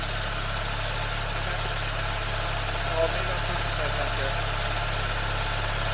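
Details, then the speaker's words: Engine held at 2000 rpm for 5 seconds during a charging system test with a Topdon BT300P tester. Even steady hum with no knocks, rattles or whine; the tester reports charging normal. "Increase engine speed to 2,000 RPMs. Keep it there for 5 seconds."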